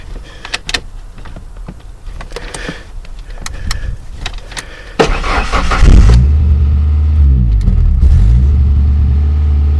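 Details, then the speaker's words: 1995 Ford Ranger cold start, check oil light on (needs oil), oil leak noted: a few clicks, catches in about five seconds, settles to even low rumble, hitting on all cylinders, slight rumble underneath; normal cold start. "But here it is. This is what it sounds like. Doesn't sound too bad. It's hitting on all cylinders, which is good. It does have a little rumble down there."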